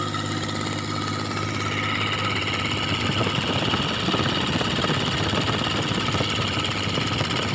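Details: Kubota L2002DT tractor, D1302 20hp diesel, after fixing hard starting caused by a stuck decompression release: steady, even idle with a smooth low rumble and no knocks or misses; engine running healthy.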